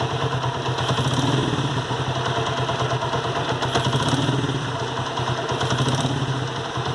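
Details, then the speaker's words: 1994 Honda CG Today single-cylinder original engine at idle: fast light ticking clatter over the idle thump, from a worn rocker arm catching on the camshaft; noise disappears when revved. "e esse é um vídeo dos rolezinhos quando ele tá desgasto fica pegando uma árvore do comando"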